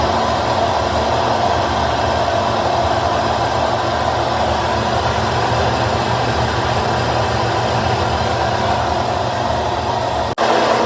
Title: GE washer top load bearing making noise like airplane.broken bearing and gaskets